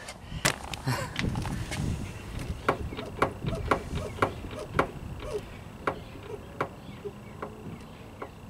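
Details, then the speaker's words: VW Beetle with shimmy and shake, steering box leaking and possibly low on oil: irregular sharp clicks and dull clunks as the wheel is rocked; free play traced to the worn steering box, not the suspension or tie rods. "That's how much free play I've got in my steering wheel. So it's not these suspension components at all. It's my steering box."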